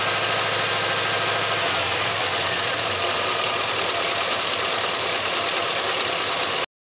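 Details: 2004 Chevrolet Silverado 6.0 V8 at idle with a fast, light top-end ticking that follows engine speed. It persists from the valvetrain after the lifters were replaced; cause unknown.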